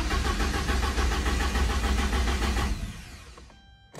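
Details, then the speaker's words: Porsche 944 (listed as 95.5) that lost power while driving, after a new DME relay; battery low. Starter cranks evenly at about 3.5 beats a second, tach barely jumps, engine never fires. Owner suspected the fuel pump; replacing the fuel pump and tank-to-pump hose fixed it. "the attack does jump i probably should put some more juice in the battery um i'm gonna guess that maybe it is the uh heel pump"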